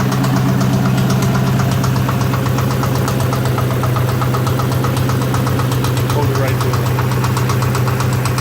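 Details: 2003 Mustang Mach 1 V8 idling with a steady, sharp knock about four times a second, heard from the aft end.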